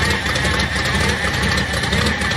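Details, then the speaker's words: Car, first run in a few weeks in cold weather, 5.5 psi reading: thin steady whine over a smooth, even idle that does not change; owner suspects the power steering. "See, to me that sounds like power steering. It sounds like it's right here."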